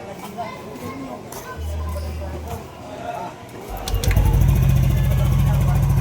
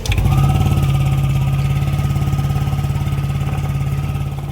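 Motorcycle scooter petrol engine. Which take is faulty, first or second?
second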